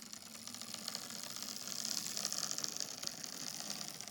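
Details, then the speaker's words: Old Lima Class 37 model diesel locomotive: as power is slowly cranked up, the little motor gives a thin, high buzzing whirr with a faint irregular clatter that swells. It is a noisy motor, cause not pinned down. "if I crank up the power a little bit more although you can already hear the motor sort of buzzing a bit sort of doing the Le and noise"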